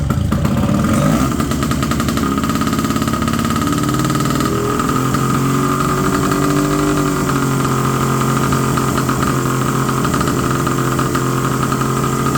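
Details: 1970 Polaris Mustang snowmobile, two-stroke, first start after 10 years: steady fast buzz that never settles, idle too high.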